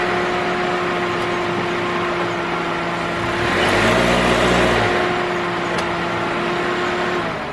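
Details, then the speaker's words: 2006 Toyota Corolla 1.8 engine before spark plug replacement: idles with steady hum and some unevenness, brief rev midway; owner reports running rough, cause not diagnosed. "Now she said the car's running kind of rough, so she don't want us to diagnose it, which should be the proper way of doing this, because you don't want to spend money you don't have to."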